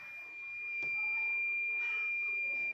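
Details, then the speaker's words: Battery-powered hearing aid on the bench, battery and earpiece connected: a steady thin high-pitched tone holds over two seconds, then cuts off cleanly. The inner unit works; the external earpiece wire is judged faulty. Producing sound normally. "এতিয়া এয়াৰটো মই connect কৰি চাওঁ। বস্তুটো ঠিক হৈ গ'ল। আপোনালোকে শুনা পাই আছে চাগে।"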